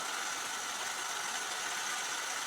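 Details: Jeep 4.2 L (258 cu in) straight-six after new exhaust manifold and replacement carburetor without ECM electronic adjust, plus rewiring and vacuum hose work: steady, even idle with smooth hiss, no ticking or puffing from the manifold; sounds healthy.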